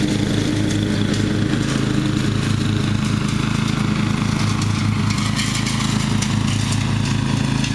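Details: Murray riding mower, first run of the year after long storage and a mouse nest cleaned out; gas half full and not old, filter unchanged. The engine holds a steady, even, buzzy beat with no surging or cutting out, running perfectly.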